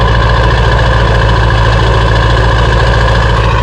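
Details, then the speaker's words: 2002 Ford F350 7.3L diesel, restarted after the gasoline was siphoned out and the fuel drained down: deep, steady diesel clatter at idle with an even beat, no misses or smoke; normal diesel idle. "smoke nothing like that it's running nice and smooth right now"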